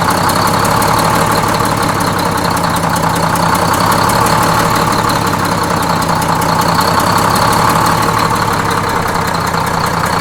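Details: Freshly inframe-rebuilt Detroit Diesel 6-71N bus engine, with the idle being set at the governor: a steady, even two-stroke idle with a busy, unbroken beat and no knocks or misses. Normal idle.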